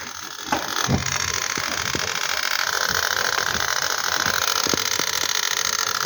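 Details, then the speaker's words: Rinnai gas heater showing errors 62 and 14, tested on gas: quick igniter ticking about three per second over a steady fan hiss, burner never lights; error 14 may come from faulty inlet, burner or gas leak, unconfirmed. "जो एरर आता है 14 का वो इनलेट का होता है। ये जो इनलेट है ये अगर ख़राब हो तो तब भी होता है, बर्नर ख़राब हो तब होता है, यहाँ से गैस लीक हो जाती है तब भी आता है।"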